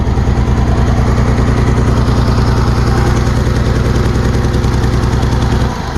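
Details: 2008 Dodge Nitro started on jumper cables after timing belt reassembly; lumpy idle with a steady low throb stumbling every few beats, still has a miss. Owner plans a compression check and suspects timing marks may be off.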